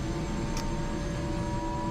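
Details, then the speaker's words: Airbus/Eurocopter AS350 B2 helicopter turbine during manual start with twist-grip throttle: starter released at 40–45% NG, rotor turning, fuel fed by slowly twisting grip; smooth steady turbine roar and whistle, no surging, popping or grinding; normal start-up toward idle. "rotor turning 40 to 45 percent i let go of the ng i keep feeding fuel by twisting the twister very slowly"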